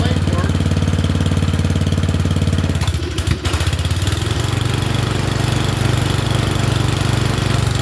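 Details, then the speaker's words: Murray Select 30-inch single-blade riding mower with a suspected plugged air filter: a fairly even single-cylinder beat with a brief stumble near three seconds before settling. It doesn't run too bad and is burning junk off. "It doesn't run too bad. Fortunately, it's burning a bunch of junk off of there."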